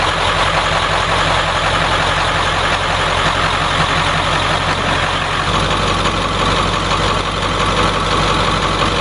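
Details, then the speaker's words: 7.3 diesel swapped in for a 6.9 IDI on a 1989 International S1600, fully warm, no leaks: after restart, steady even clatter at idle with no misses or knocks; healthy warm idle. "Alright, now that it's good and warm, I'm going to shut it off and do a restart."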